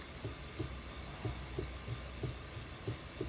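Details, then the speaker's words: Ashford E-Spinner 3 spinning wheel motor hum with a soft, low rhythmic whomp about three times a second: bobbin knocking from a gap between bobbin and motor housing, fixed by adding a felt washer to fill the gap. "the wind shocker you're still always going to hear the sounds of the wind but you don't hear the bobbin knocking around that's pretty cool is it not"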